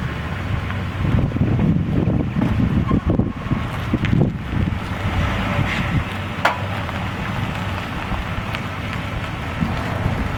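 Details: 2003 Ford Explorer: sharp isolated clicks or pops once or twice when wheel turned right, only at low speeds, repeatable by straightening and turning again; heard over wind and vehicle rumble.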